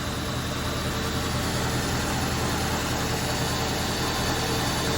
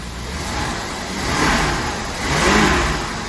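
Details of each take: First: 1977 Winnebago Chieftain abandoned 20 years, driven 400 miles on seven cylinders; idle has uneven loping beat with recurring missed pulse; temperature gun shows one cold manifold runner, owner says a dead hole; misfire, one cylinder not firing. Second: 1977 Winnebago engine, abandoned 20 years, previously running on 7 cylinders, after fresh 15W-40 oil: revs blipped up and down twice cleanly, no misfire or knock, wind noise; sounds healthy, possibly just a gummed-up plug.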